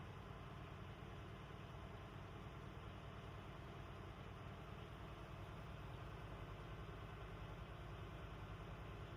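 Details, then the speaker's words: Class A truck diesel at idle during pre-trip air-brake governor test, gas applied, compressor building from 90 psi cut-in to 125 psi cut-out: steady, even idle without knocks or rattles, all healthy. "Here the governor kick in. I'm going to apply the gas. RPM between 10 and 50. When I reach 125 psi, the governor kick out."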